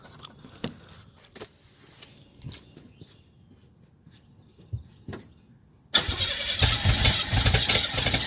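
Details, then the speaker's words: 1987 Chevrolet Celebrity Eurosport 2.8 V6, 237k miles, cold day, recorded at the tailpipe before the MagnaFlow catalytic converter install: quiet clicks, then loud, hissy, raspy open-pipe exhaust note with fuel smell; running rough today. "I like the sound that it has when you first fire it up, but the raspiness and the exhaust smell in the clothes, no."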